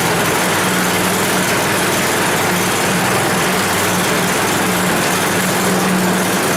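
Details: 10 HP Tecumseh Yard Machines snowblower, long unused, warming up: hum dropping in and out, never settling; rough running, better on half choke, more dirt in carburetor suspected needing cleaning.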